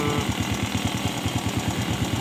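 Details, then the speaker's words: Honda motorcycle (Fit X / VTX) that would not start, after reinstalling a piston that had been fitted backwards and adjusting valves; steady rhythmic low putter at idle, even and unbroken with no knocks, starts right away; normal idle. "kita hidupkan Wifi motor dan motor langsung hidup setelah kita menyekir klep dan"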